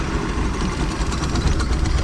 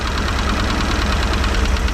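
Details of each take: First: 1989 Raven 195 boat inboard engine, warmed up, after rotted motor mount was rebuilt: steady even low idle rumble with no knocks, misses or surges; mount holds well. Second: 1989 Raven 195 boat engine: deep, lumpy idle with uneven thumping and heavy vibration; owner suspects a worn motor mount or running on three cylinders, and starts a cylinder-pulling test.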